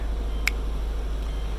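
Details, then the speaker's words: Subaru Legacy GT after new turbo core, engine mounts, radiator hoses, air pump delete and exhaust leak repair: even, low idle rumble with no puffing or ticking at the manifold, just one brief click; exhaust now sealed, very quiet idle. "and it's quiet now too jeez can barely even hear it running"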